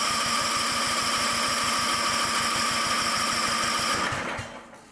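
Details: Newer Cub Cadet mower with Cub Cadet's own Chinese-made single-cylinder engine and electronic Intella Power throttle; chugs about three beats a second, lumpy and uneven, then dies and won't restart; running rich from a clogged air filter.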